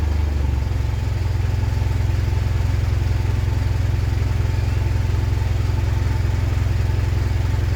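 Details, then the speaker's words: 2010 Mitsubishi Pajero NT with random intermittent misfire persisting after carbon cleaning, at idle and driving: steady low pulse with occasional stumble and a flat spot from standing start before it kicks in; cause unknown. "standing start there seems to be a reasonable flat spot before it actually kicks in [Music] so that's it that's what it's doing the question is why"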